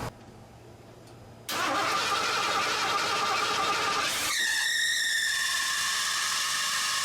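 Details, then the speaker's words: Cold Bullnose Ford V8, fresh EFI-to-carb swap, first start on starting fluid, running off a small tank with 2-stroke gas, likely too cold for the choke: engine catches and runs under a loud steady high squeal from the worn alternator belt slipping badly. "You'll have to excuse the alternator belt. It's kind of due for replacement."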